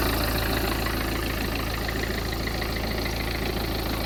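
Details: Peugeot 406 2.0 HDI diesel, previously would not start (electrical problem): steady, even clatter at idle with no misses or stumbles; normal idle.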